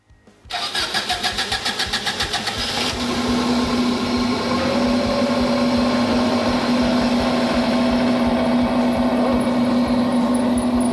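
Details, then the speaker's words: 1998 Subaru Legacy that was water-damaged in a marsh, had a P0505 idle air control code and flooded; after swapping in a good used ECU it cranks, fires cleanly and settles into a smooth, steady idle. Normal start and idle. "like it's running pretty good now running pretty smooth [Music] my mist seems to be gone yeah it's running real smooth now alternators kicking in sounds a lot better now"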